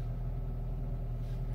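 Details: 2002 Renault Clio II idling steadily with a low, even rumble at tickover and no knocks, misses or ticks. It had refused to start after a flat battery with the red immobilizer light on, and now runs normally after an unexplained fix.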